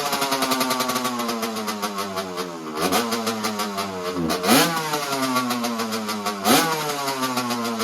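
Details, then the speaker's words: 1985 Honda CR125 two-stroke dirt bike on a cold start with a broken choke: raspy idle that sags and wavers, kept alive by throttle blips every couple of seconds; bogging idle, cause not confirmed. "the choke actually just like broke on me I show you you can hear the bog when it idles which isn't great I not good at all"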